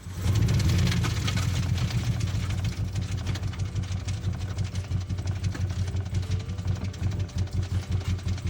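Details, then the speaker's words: 2010 Chevrolet Camaro acting strange: deep, rough knocking at idle, about three beats a second under the engine note. Bottom-end rod knock is suspected, not confirmed. "Customer states their 2010 Camaro is acting strange. I think they're in for some bad news cuz that sounds like Uncle Rodney is knocking."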